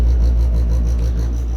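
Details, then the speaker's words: Worcester Greenstar 27 CDi combi boiler on central heating: low, rough rasping drone with a slow pulsing rub, sporadic for about 4 years, stopping on its own or after running the hot tap; cause unknown. "and normally is resolved by turning on the hot tap for a little bit turn that off and then it stops although it'll often just stop on its own after about a minute or so what's going on any ideas"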